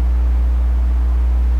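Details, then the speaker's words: Phono stage picking up external magnetic fields from nearby equipment such as a transformer: loud, steady low hum with a buzzy edge, no change in pitch or level; best tracked down by moving and rotating the phono stage. "number one is hum hum is like the worst source of noise and it's very intrusive and that comes from external magnetic fields usually from other pieces of equipment right and what does hum sound like it sounds like this"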